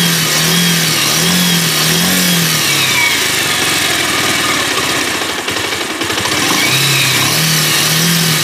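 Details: Bajaj Pulsar 150 single-cylinder after full engine rebuild (had been smoking, sooty wet silencer), carburettor not yet tuned: idles, revs cleanly through a crisp blip and drops back with no rattles or knocks; normal revving, though idle speed varies slightly (owner suspects carburettor).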